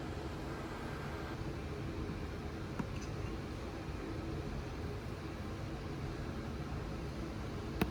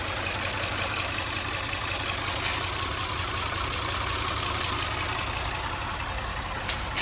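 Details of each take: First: Audi RS6 C7 twin-turbo V8, first start at idle after engine removal, teardown and repair for misfire and rattle (fault found behind timing cover): quiet, steady low rumble, no stumbles or skips, a couple of faint ticks; normal idle, misfire gone. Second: Audi RS6 C7 twin-turbo V8 with misfire codes, incorrect correlation and inconsistent compression, new coil packs, no bent valves on borescope: uneven idle with loose metallic rattle; suspected broken timing chain guide on bank 2, engine removed for teardown.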